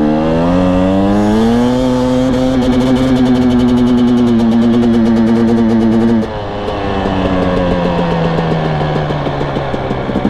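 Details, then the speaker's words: KTM/Husqvarna TPI two-stroke dirt bike (TE250i/TE300i), about 100 hours: sharp metallic pinging through midrange only when easing gently into throttle, gone with aggressive throttle and higher revs; sensors checked fine, not rev limiter; cause unconfirmed. "see in the first run you can hear it ping then in the second run I am more aggressive with the throttle and notice the revs are higher but it does bypass that pinging sound it's only when I ease into the throttle"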